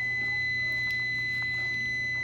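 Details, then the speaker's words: UPS inside a Viper machine control panel, heard while a burnt cooling pump breaker is being replaced: steady high-pitched whine near two kilohertz over a low mains hum, warning that the battery is failing and due for replacement. "Bale, maririnig ninyo yung parang humuhuni, yung parang umuugong. Yun po yung UPS ng Viper. Yan po kaya ganyang humuhuni na. Nagbabadyan na po yan na palubat na yung battery niyan."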